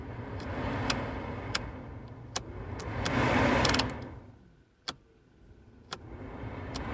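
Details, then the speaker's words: Vauxhall/Opel Meriva HVAC blower fan that had failed on all speeds, after resoldering its contacts and refitting: rushes up to steady airflow, fades, then returns with a few light clicks; blower now works normally. "and it should work okay let's go here we go so kyon it's gonna turn oh sweet hope you can hear it"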